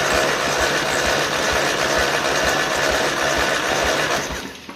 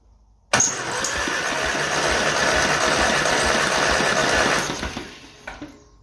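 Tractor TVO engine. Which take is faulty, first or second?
first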